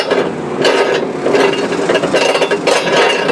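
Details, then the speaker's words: Ridgid/DeWalt table saw motor removed after it quit running: armature spun by hand gives gritty, uneven rumbling scrape each turn, oil gone and leaking; failed armature bearing needs replacing. "now I've got the motor off and uh yeah doesn't sound good at all and this should not fall out like that but there it is the bearing's gone"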